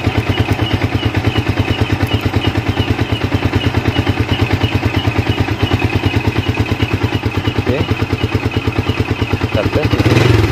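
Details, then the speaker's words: Yamaha Vixion after regulator/rectifier (kiprok) replacement cleared MIL code 46, charging at 14 V: steady even idle pulses then clean rise in revs, no knocks or misses; runs normally. "ya kita coba hidupkan di sini untuk hilang ya untuk kode mil 46 nya hilang"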